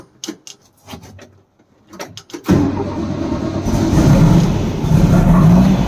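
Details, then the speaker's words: 1964 Volkswagen Beetle after fuel filter relocation and new spark plugs, chasing a backfire: clicks then catches into uneven lumpy idle about four beats a second; rough running, owner suspects left carb not getting fuel, unconfirmed. "so I'm starting to think that there's probably a problem with the carb on the left hand side so I have a feeling that that side is not getting fuel that's why it's running so rough"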